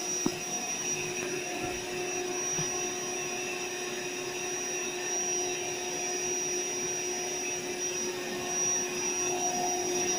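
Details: AeroBed Deluxe Raised double air bed with a suspected pinhole leak near the bottom. The built-in inflator makes an even, steady motor whine with a constant airy rush and no faltering as it fills the bed: normal pump operation.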